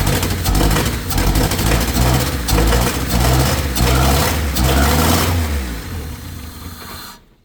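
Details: Honda EK with H23A VTEC engine cranking while the distributor is held by hand: loud uneven churning and sputtering for several seconds, then it fades and stops without running. A bad distributor is suspected, not confirmed.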